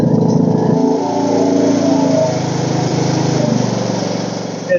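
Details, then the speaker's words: Ariens riding mower with a Briggs & Stratton 17.5 HP single-cylinder engine, sun-damaged, after carburetor cleaning: running at a steady pace with an even beat, no misfires, though it is spitting some oil. "running beautifully"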